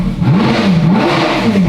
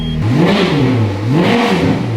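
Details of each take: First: Ferrari F430 V8 ex-rental with rebuilt engine, warming up with no exhaust fitted: wavering lumpy note rising and sagging unevenly; idle hunts because the vacuum lines are disconnected. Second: Ferrari F430 V8 ex-rental with rebuilt engine, no exhaust fitted, restarted after unexplained move-and-stall: two crisp blips rise and fall cleanly to a smooth even idle with no misses or clatter; engine sounds healthy.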